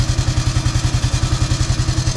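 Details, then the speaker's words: Honda Wave 110i after starter gear repair: electric start quiet, no banging gear noise anymore, even regular low thumping as it runs, no grinding or gear clash; normal start. "อ่ะคะนักก็เงียบเหมือนเดิมครับไม่มีอาการดังแบบแก๊สแบงๆไม่มีแล้วครับเบาๆๆกลับเนาะทำให้ดูครับเนี่ยครับเงียบเลย"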